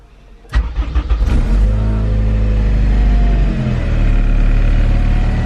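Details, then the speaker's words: Honda K20R-swapped EM1 Civic with an RBC manifold, first start on a KPro K20 ITR base map: a quick crank, catches within a second and settles into a smooth, steady idle with no misses; a check-engine light shows for the secondary O2 sensor. "And it works. Okay guys, doing a little test run. It's running pretty good."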